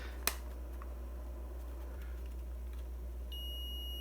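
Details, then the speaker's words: Cheapest DT-830D digital multimeter in continuity mode: thin, faint high beep that comes in only after almost half a second, inaudible from standing height unless the hand is cupped near it; the continuity buzzer is far too quiet. "it makes a noise but it's I can't hear like standing here I can't hear it if I put my hand here in cup like that I can so it's really really bad in in the continuity mode"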